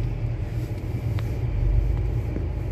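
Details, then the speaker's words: Used Mitsubishi Outlander automatic transmission in snow mode (4-wheel drive) while reversing on test drive: steady even low rumble, no whine, clunk or grinding; reverse operation normal. "Ya, coba dirasakan kondisi jalannya, apakah dia normal, mundur. Oke, mundur terus."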